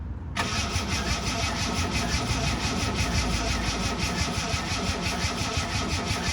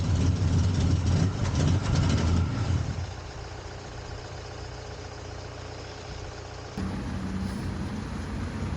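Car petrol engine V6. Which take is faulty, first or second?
first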